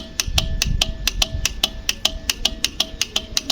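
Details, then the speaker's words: Honda Shine motorcycle, battery OK and horn works: pressing self-start gives rapid dry relay clicking, about five a second, while the starter motor never cranks; starter motor to be opened and repaired. "देखो वो सिर्फ switch यहाँ पे press कर रहे हैं और इस तरह से रिले से आवाज़ आ रहा है कट कट, जो कि आप सुन रहे हो अभी।"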